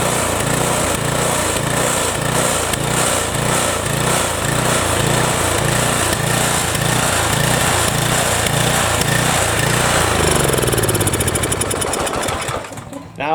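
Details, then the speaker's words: Briggs & Stratton 7.75 Ready Start mower engine with a good governor, spring on a straight tab; speed swells and sags about twice a second, then shuts down: surging, probably a carburettor problem rather than the governor. "surges a little bit because there's probably something wrong with the carburettor but that's not what we're focusing on we're focusing on the governor"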